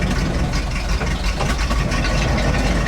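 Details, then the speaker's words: ZIL truck crane abandoned 20 years, revived; at idle while slewing the crane under load, heavy lumpy rumble with irregular popping; cause unclear. "Что-то стреляет весь. И останавливаемся чуть."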